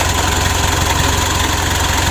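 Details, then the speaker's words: Mitsubishi Pajero Sport Dakar DI-D diesel after an overheat, engine just restarted at idle: faint thin chirp from the drive belt, which got wet and is slipping; to be left to dry before rechecking. "di sini ada terdengar suara panggil ya bandelnya itu terkena air itu ada bunyi ini"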